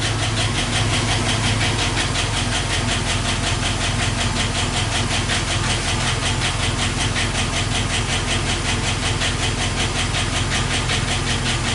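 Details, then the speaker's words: 2012 Chevy Silverado 5.3 L V8 with Active Fuel Management idles with a steady, fairly quick tick over the engine note; code P3400 on the AFM system points to a collapsed lifter in one cylinder. "basically one of these cylinders had a collapsed lift arrow"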